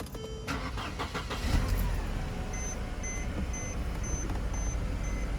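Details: Mercedes after a no-start repair (no voltage at the fuel pump, corrosion-caused heat and a blown fuse): cranks briefly, fires promptly and settles into an even, steady idle with no misses; sounds healthy.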